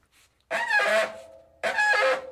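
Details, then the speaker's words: Early-1990s Gazelle roadster bicycle front drum brake, similar to Sturmey-Archer, worked by thumb on the lever: two short groaning squeaks, each about a second, like the skipping noise when nearly stopped. Drum brake noise; owner suspects rust inside the drum. "y 90s gazelle roadster makes a loud skipping noise when you have almost come to an hold it's kind of annoying and somewhat scary"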